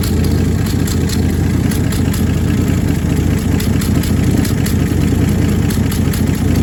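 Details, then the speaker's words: 1966 Dodge Dart GT, Slant Six 225 at idle: steady low idle with a faint quick ticking puff on every firing; exhaust leak believed between the exhaust and intake manifolds, EGR not ruled out, new part coming. "Well, it's coming from what I believe now is between the uh exhaust manifold and the intake manifold."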